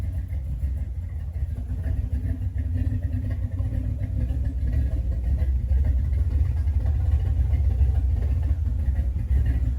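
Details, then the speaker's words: GM 5.3 V8 with budget BTR cam, just reassembled and first start, not yet tuned, coolant being filled: deep steady idle with a slightly lumpy beat, no lifter tick or knock; engine super quiet, good oil pressure, running healthy. "But it fired right up. The engine's super quiet, lifters, everything sounds really good, has good oil pressure."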